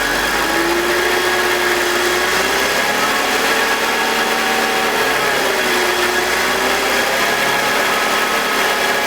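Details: BMW E46 with M52TUB25 engine at idle, exhaust VANOS disconnected: smooth steady idle with constant even-pitched whine, no grinding, no RPM drop. Owner suspects the VANOS causes a grinding noise, worse at startup, heard when connected. Normal idle.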